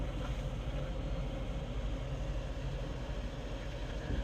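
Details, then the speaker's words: Replacement blower fan motor in a 2013 Toyota Prius after DIY repair: smooth rushing airflow over an even hum, no rattle or squeal, slowing on auto and ramping up when set colder; running normally. "if we switch it to auto and let's just uh you can hear that calm down a little bit slow down on the speed and if we go colder you can hear ramp up"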